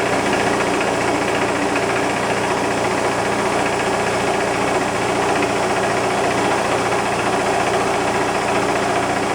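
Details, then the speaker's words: Bigger shop air compressor, old unit with a very large motor, filling from empty to full in about six and a half minutes: loud, constant clattering rush from the pump; owner notes a little play in the wheel, suspected but unconfirmed, otherwise working; noisy pump. "it is a little on the noisy side and i see this wheel seems to have just a hair bit of play and i kind of hear it um but it seems to be working good"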